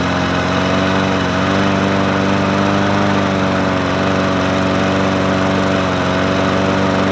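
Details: Murray 20-inch 4.0 HP push mower (20415x8D), a found mower, primed and started on a cold 53°F day: small single-cylinder engine holds an even, steady buzz with no surging or misses; running smoothly and healthy.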